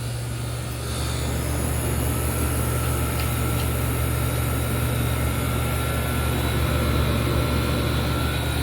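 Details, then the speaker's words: 1994 Whirlpool Designer Style 2-ton (~25,000 BTU) R22 window air conditioner, Bristol reciprocating compressor on first startup: deep even rumble with a steady thump under the fan rush, a normal start, and the air is getting cold. "Great start. Bristols are a classic. Listen to that recip rumble. So different from a rotary."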